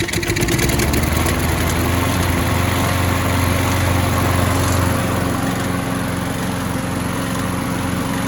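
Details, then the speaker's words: Craftsman mower single-cylinder that popped but wouldn't start, now running after flywheel key replacement, before its oil change. Catches and stumbles briefly, possibly from water inside, then settles into a steady, even, clean beat; running normally. "bad runs pretty damn good a little bit of a hiccup there at first if that might have been because some water or something else that was inside it dumped this oil out"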